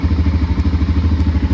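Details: 2005 Can-Am DS650 quad bought for $1000, first start attempt: fast, even starter cranking about ten beats a second with no misses or knocks, turning over freely while the oil pressure/coolant light goes out; normal cranking.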